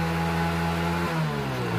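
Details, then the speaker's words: Yamaha Mio after carburetor service and needle setting, checked with rear wheel spinning: full throttle pulls up cleanly, pitch climbing smoothly without stumbling or cutting out; carburetion now right, starts easily. "Nah sekarang kita coba gas dan kita lihat di bagian rodanya sekarang kita gas full kita coba guys ya wah ini mantap sekali"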